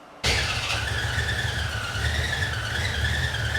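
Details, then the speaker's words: 1968 Chevy C10 on 2005 Ford Explorer suspension, small cam, just jump-started: the engine catches and runs with a steady high whistle over the rumble; the source is unknown, possibly a slipping belt, not confirmed. "there she goes what's making that whip whistling noise okay"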